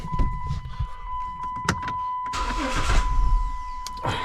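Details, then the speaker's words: 2006 Chrysler 300 3.5, 120,000 miles, after no-crank no-start repair: warning chime over short cranking bursts, then engine catches and runs — starter circuit working again. "It's cranking though, so that's a plus, right?"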